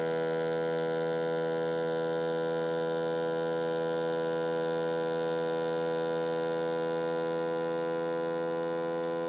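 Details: Ford 6.7 Power Stroke diesel pickup engine: steady loud humming whine holding one pitch, no knocking; strange noise of unknown cause.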